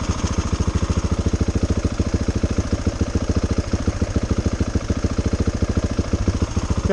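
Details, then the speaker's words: Nearly new KTM 690 Enduro R, just back from the shop for overheating: single-cylinder thump settles into an even idle at about three and a half beats a second; runs now, but the intermittent no-start remains undiagnosed. "i'm not gonna risk it i'm gonna shoot back home bring it back in okay so that's the starting issue i'm having so we're gonna head it back home and bring it back to the shop see what's up you"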